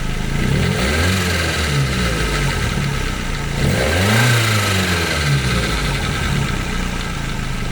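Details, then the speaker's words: 1991 Nissan Primera P10 1.6 GA16DS carburettor (Nikki Hitachi 21L) engine, revving after timing chain repair (hydraulic tensioner, cam sprockets, chain guides, retimed, new water pump and belts): climbs and falls smoothly, no chain rattle; possible small exhaust leak below. "On va accélérer maintenant et vous allez voir que ça ne fait pas le même bruit qu'avant."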